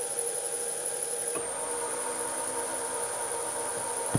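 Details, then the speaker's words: Myford Super 7 lathe on the new inverter control box, clutch engaged, spindle at about half speed in the current belt position. Quiet steady motor hum and even belt whir, no knocks or rubbing. Normal running. "away she runs she spins at the moment i've got to set it about half speed currently on this belt position that it's on"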